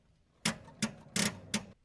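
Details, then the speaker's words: 1984 Jeep J20 3/4-ton with AMC 360, sitting since 1998, first start attempt: four quick sharp clicks with no cranking. Starter solenoid is chattering and battery terminals are badly corroded, likely a weak battery. "that was super close it wasn't it ain't that it's something the s's clicking must where's this to turn over"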